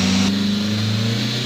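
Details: Mitsubishi Lancer 4G18 that sat for a while, cranking: catches and labours unevenly, stumbling rather than settling into clean idle; hard start from low fuel delivery, fuel found very dark.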